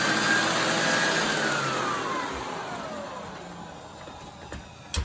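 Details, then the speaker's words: Hoover Air Steerable vacuum run at max speed, still powering the turbo brush: high motor whine sliding down as it spins down, with a coarse rasp; motor sounds rough and worn. "You can hear how bad that motor sounds."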